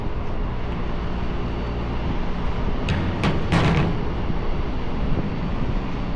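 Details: AAON rooftop unit condenser fan (3-phase motor) after replacing the broken rain shield that had been rattling and bouncing on the motor: steady low hum, even drone, no rattle or knock; runs smooth.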